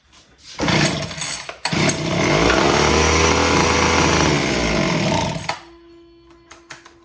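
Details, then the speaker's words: Homelite HT17 two-stroke gas hedge trimmer, fuel lines found missing, primed: catches with a buzzy rasp, runs a few seconds without settling, then dies; something not letting it run, cause under investigation. "right, so something's not letting it run."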